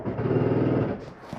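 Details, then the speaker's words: 2023 Jayco Eagle HT 280RSOK travel trailer, slide-out number one (off-camp side) retracting from the control panel. A steady low motor drone with a light buzz stops as the room seats fully; this is normal slide-out operation, not grinding. "would you hear that little noise that is just the slide back and as I'm saying I'm in all the way some people think it's something grinding not the case"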